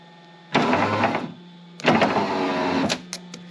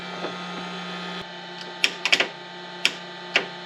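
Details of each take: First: Foxbody Ford Mustang with a bad power window switch; the window is powered by bridging two connector terminals. Two smooth, even whirring motor runs as the window goes down, with no binding. Normal window motor and regulator. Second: Foxbody Ford Mustang that won't crank, starter jumped directly: sharp irregular single clicks over a faint hum with no cranking. The solenoid engages but the starter motor doesn't turn.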